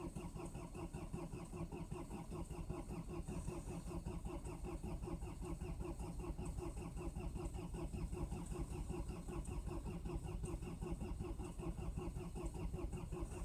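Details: Cold start attempt at -20 °C, likely the Mercedes diesel that starts hard rather than the Land Cruiser HDJ80: long, steady cranking at roughly 78 beats a minute that doesn't catch cleanly; cause not confirmed.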